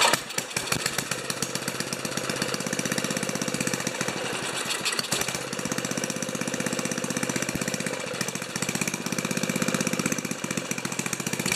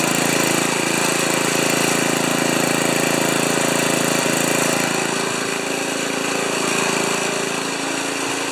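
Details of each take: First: Old five-horsepower Ariens 2+2 two-stage snowblower engine, low-speed jet set around one and a quarter turns: chugs unevenly at about four beats a second, firing ragged and stumbling; running rough, cause not confirmed. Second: Old five-horsepower Ariens 2+2 snowblower engine at about three-quarter throttle after clearing a tiny hidden hole in the carburetor main jet: steady, fast, even buzz with no surging or hunting; runs smoothly and healthy.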